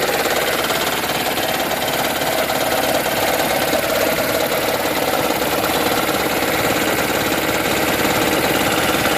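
Rhythmic chatter of roughly two knocks a second rides over the idle, a dry rapping knock from inside the engine.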